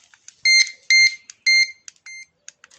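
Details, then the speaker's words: Carp-fishing bite alarm receiver (centrale) beeping on its own while the detectors are set silent, so fish nearby are not scared at night. Crisp high-pitched beeps, three long then shorter chirps, in a quiet room, working as intended. "Donc, il n'y a que elle. Et le détecteur, il sonne pas. Comme ça, si j'ai la centrale sur moi, que je suis dans la tente, pour la nuit, ça fait pas fuir le poisson qu'il y a autour, tout ça."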